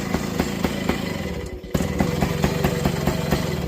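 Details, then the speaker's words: 1968 Benelli Leoncino Scrambler 125cc two-stroke with a wrong four-stroke silencer fitted: ragged idle with sharp popping beats about four a second and crackly exhaust note, reluctant to shut off; being changed to a two-stroke silencer. "That's your exhaust I had on it, which is obviously totally wrong. It's a 4-stroke something or other."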